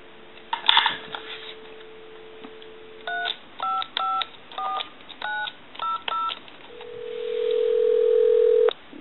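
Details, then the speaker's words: Repaired duck novelty telephone switched from the test analyzer to a live line, calling the time-and-temperature number: dial tone, a quick string of touch-tone digits and steady ringback, so it dials out cleanly and works normally. "we can go ahead and take the switch box here and push the button and that will take the analyzer totally out of the situation and give us a line out and we'll call the time in temp number"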